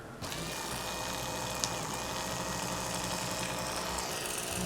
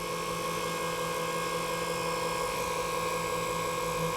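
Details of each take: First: 1994 Saab 9000 Mark IV ABS pump motor bench-run after bearing and bushing replacement, bearing not fully seated: steady electric whir with rough uneven rattle growing with speed; noisy, likely bearing trouble. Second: 1994 Saab 9000 ABS pump motor, temporarily reassembled with a new bearing and bushing for testing. A smooth, steady electric whir at constant pitch with no grinding or rattle, much quieter than before: normal motor run.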